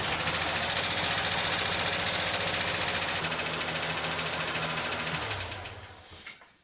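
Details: First run of a 1989 Ford Ranger engine swapped into a 1987 Ford Bronco II: steady, even rattle at fast idle for several seconds, then winds down and stops; healthy running.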